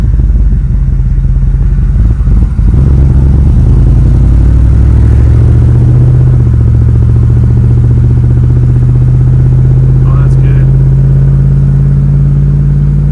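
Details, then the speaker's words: 1965 Chevy Nova wagon with new Holley 450 carburetor, air cleaner on, road test: engine note climbs steadily from idle with no stumble or hesitation; carburetor pulling cleanly, smoother than the old one. "It is just so smooth. No hesitation. I can accelerate from idle."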